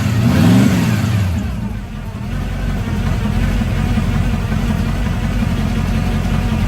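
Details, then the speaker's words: Carbureted Camaro V8 with electric fuel pump, owner asks whether it's cammed: brief rev flare on start, then a steady, even low burble idling around 700 rpm; it had some trouble starting but idles normally and healthy. "But that's it idling. I believe like around 700 right now, but it did have some problems starting."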